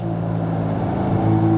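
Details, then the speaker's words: Mazda RX-7 rotary on real roads, holding about 3000 rpm: smooth, even, consistent growl with no misses or knocks, sounding eager to go faster; normal steady cruise. "Just hearing like a growl like that, smooth, consistent. I'm just like, hell yeah. It just wants to go. Because you know, like right around 3,000, it just sounds like it's just dying to go faster."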